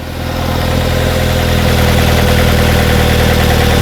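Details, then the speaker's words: 2009 Ford Fusion with codes P0410 and P0491, engine idling. Switching the secondary air pump on adds air behind the mass airflow sensor when the computer isn't expecting it. A low, uneven loping idle with a droning hum results, a rough idle. "why that made it rough Oh I know why because I'm turning the air pump on the same time the inlet for the air pumps behind the mass airflow sensor and I'm doing it at a time where the computer is not ready for it so I've just changed the air flow characteristics in the in the manifold that's why it idles funny like that"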